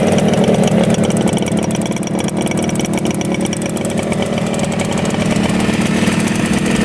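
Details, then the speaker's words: 1975 Yamaha RD200 two-stroke twin, first start after 20+ years in a barn: steady, crisp even buzz, both cylinders pulling and hot, no misses, idling about 2000 rpm; running healthy. "first start in 20 years both of them are both cylinders are running oh yeah yep both are really hot"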